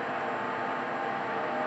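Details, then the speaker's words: IQAir air purifier after 10 years of use: steady thin whine over an even rush of air, squeaky sounds worsening over weeks; still filtering properly but the fan motor is wearing out. "yeah so it's still filtering the air the way it's supposed to be but definitely that motor is on its way out"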